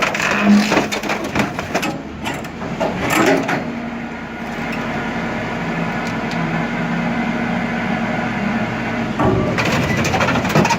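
Heavy cracks and crushing bursts over a steady low hydraulic hum, cycling evenly without stalling; the shear is working normally.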